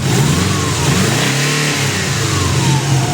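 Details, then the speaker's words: Impreza STi EJ20 after new timing belt and fuel pipe, just started: loud steady boxer rumble rising and falling smoothly with light throttle blips, no knocks, ticks or slapping; sounds much better, healthy. "do a little bit of throttle oh sounds much much better now much much better"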